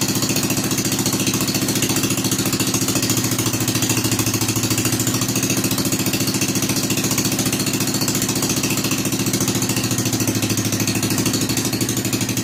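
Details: Rebuilt Kohler K241 10 hp single-cylinder installed in a John Deere 210 garden tractor, no muffler, restarted after priming carburetor: steady, even chuff about 3.5 beats a second, loud and raw; normal running.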